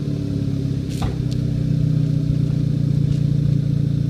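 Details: Car with an APR K04 turbo, stationary at part throttle: uneven, stumbling beat with missing pulses in the exhaust drone, a misfire.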